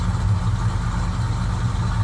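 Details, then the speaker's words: Ford F150 just after a cold start, not run that day, tuned for gas: a low rumbling idle that wavers and surges unevenly, tacho going up and down; hunting idle that varies with temperature, with the cause suspected rather than confirmed. "And you see that purging, you see how the tacho is just going up and down."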